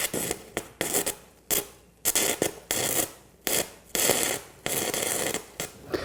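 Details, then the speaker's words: Arccaptain 200A AC/DC TIG welder stick welding 1/8 inch 6010 (5P plus) rod before raising arc force; crackling arc in short bursts with silent gaps about once a second, arc dying and rod won't stay lit. "So it's having a hard time keeping it lit."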